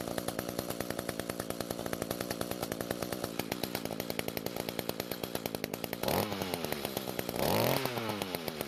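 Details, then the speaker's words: Echo two-stroke trimmer that started but would not rev, after replacing muffler, top cover and spark plug, trimmer attachment disconnected: steady idle, then snaps cleanly to high revs twice and drops back; revs freely and evenly. "now even though the trimmer attachment isn't connected it should still be okay to rev up the engine we just want to make sure that it does rev up better than our test run from earlier"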